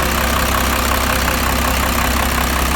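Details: 12-valve Cummins diesel, first start after sitting at least a year, fired with a remote starter and gauges hooked up: starts easily and settles into even, steady diesel clatter at idle with no misses. Normal idle.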